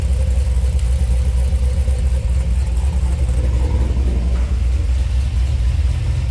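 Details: 2005 Pontiac GTO, 6-liter V8 (reportedly 20 over), idling after a performance transmission was just installed: deep, lumpy idle with an even low beat and no knocks or ticks. It is a normal, healthy idle.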